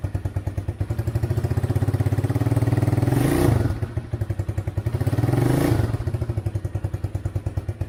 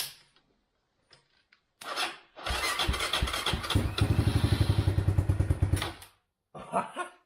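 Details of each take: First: Chinese ATV after about seven years sitting, with a homemade harness, started cold without starter fluid: lumpy, surging low idle that dips and recovers unevenly, staying alive only on choke and dying when the choke is removed until it warms up. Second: China ATV sitting over 6 years, oil not changed, starter fluid and choke on: brief cranking then catches into steady even single-cylinder putter; normal start and idle.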